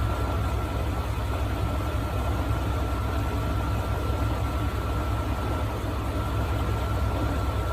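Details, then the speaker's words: Engine warming at idle during a cooling-system block test: steady low idle with a faint irregular knock underneath, about three per second. Rod knock; owner checking whether overheating or a blown head gasket caused it. "this one is a little leery because it's got a rod knock we're just trying to determine why it has a rod not did it overheat or blow a head gasket is that why it's knocking"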